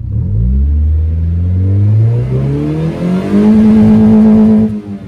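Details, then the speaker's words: Mazda 323 DOHC with a worn engine and worn belt: it misfires at idle, but rolling onto the throttle it pulls up cleanly with a smooth rising note and no misfire under load. "idles all right but like listen to the mfire that's when you have the Miss but if you roll onto the"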